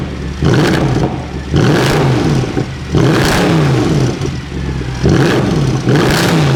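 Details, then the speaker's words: Mercedes C63 AMG V8 with a completely stock exhaust, slightly warmed up: the engine is revved repeatedly and very loudly, pitch rising and falling cleanly and settling back smoothly. Healthy engine. "I hope that comes across just how insanely loud this car is."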